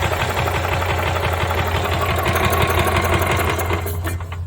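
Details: 1996 Par Car golf cart small petrol engine cranks steadily at about three beats a second but never catches, after bypassing a corroded, sticking starter relay; no spark seen yet, cause suspected, not confirmed.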